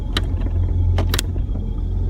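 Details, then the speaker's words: 1999 Jeep Cherokee XJ in Drive under light acceleration: engine roar with sharp metallic knocks as the exhaust pipe rests on the transmission crossmember; bushing checked okay; exhaust pipe knocking on crossmember. "so with what's happening is this exhaust pipe is resting on the still kind of hot it's resting on the this crossmember that holds up the transmission so that's where the rattling is coming from the knocking"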